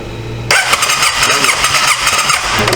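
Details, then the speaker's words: 2005 Honda Rincon 650 (TRX650FA) ATV, abandoned with supposed carburetor issues, cranked with spark plug check: about two and a half seconds of starter whirr with even compression pulses, spark present; normal cranking compression. "we got spark so we got spark sound like it's got compression so this old girl she probably is going to run uh pretty good"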